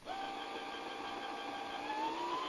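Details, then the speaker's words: Brother SE 350 automatic bobbin winder started with the pedal pressed; smooth, even motor whine rising slightly in pitch as it speeds up, no knocks or catches. Normal bobbin winding. "So let's fill the bobbin with the automatic bobbin fill. And we push that and start. But we have to mash pedal."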